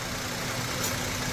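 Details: Maruti Suzuki WagonR CNG/petrol at idle after injector cleaning (previously vibrating with petrol pickup problem): steady, even engine hum with no stumble or shake; smooth, healthy idle, vibration gone.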